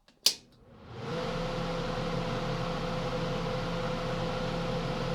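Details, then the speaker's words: 1981(?) Kenmore 48-pint dehumidifier set to its rare constant-fan mode: switch click, then the fan spins up to a steady even hum and soft whir with no rattle; normal fan operation. "It's constant fan. Now this is a pretty rare one, so that's why I got this. So I turned it all the way down. I'll see how constant fan is."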